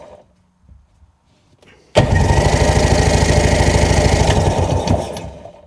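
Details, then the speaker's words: Sea-Doo engine with carb removed and spark plugs out, cranked on the starter at about three turns a second with no firing, wet spitting hiss each turn as tons of fuel pours out; crankcase flooded with fuel, source unknown. "There's just tons of fuel coming out of here. Is the whole bottom of the crank case full of fuel?"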